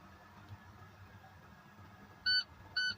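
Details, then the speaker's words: Tractor-trailer, engine off in accessory with brakes held during CDL air-leak test: two short sharp electronic beeps in a quiet cab, low air pressure warning buzzer and light coming on at 65 PSI because of an air leak. "So Patrick, my light and my buzzer for my tractor came on at 65 PSI."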